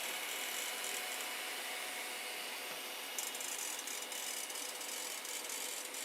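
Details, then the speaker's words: Rubbing noise from a filament run-out/jam detector under test: a light, uneven high-pitched ticking and scraping, about four per second; owner suspects its grooved skateboard-type bearing idler wheel is rubbing the plastic housing, next iteration changed to stop it. "And that's what's making the noise. Well, I think it's because like a skateboard bearing type thing with a groove in the outside. It's rubbing against the plastic here."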